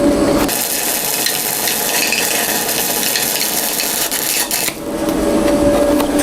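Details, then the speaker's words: YesWelder MP200 multi-process welder stick welding a 6010 root pass: steady crackling arc with a thin high squeak as the arc stops and restarts; the machine also kept shutting off. Squeak source unclear. "Do you hear that squeaky noise? I've never had a machine do that before. It's pretty strange."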